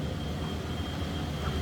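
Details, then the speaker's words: 1994 Ford F-150 regular cab 4x4 with a 5-liter V8 and automatic overdrive transmission, at idle: a low, smooth, steady rumble with no ticking or knocking. Normal idle. "I'll let you hear how it sounds. Pretty much what you expect. Again, 5-liter automatic overdrive trans, clean Carfax."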